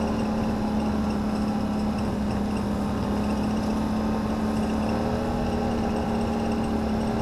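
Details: 2009 Can-Am Renegade ATV running with a steady droning hum that shifts slightly. The noise seems to come from the CVT housing; CV shafts were first suspected. It was fine a week earlier, and the temperature dropped 20 degrees since then. Unusual CVT noise.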